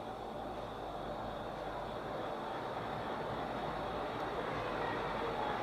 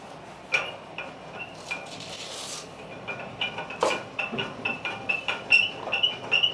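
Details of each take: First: Ceiling fan after servicing and bearing overhaul: steady, even whoosh of moving air only, with no grinding, ticking or rumble from bearings or shaft; running silent and healthy. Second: Ceiling fan long run without cleaning or servicing, before overhaul: uneven light metallic clicking and clinking, two or three a second, over almost no motor hum; the worn upper and lower bearings need the fan taken down and overhauled.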